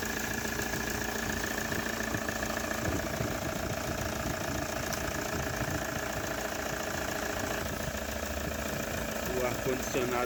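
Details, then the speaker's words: Toyota Hilux 3.0 diesel after the worn water pump, camshaft seal and accessory belt were replaced: a steady, even idle with dense constant clatter and no knocks or misses. The engine sounds healthy. "bom então já está funcionando essa bruta e E aí o funcionando bonitinho é E aí"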